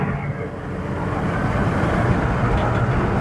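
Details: Red Express truck with Holley Sniper EFI, after IAC adjustment and a spacer, accelerating on a test drive: a deep engine note builds cleanly with no jet-engine whoosh, less bogging and a responsive pull.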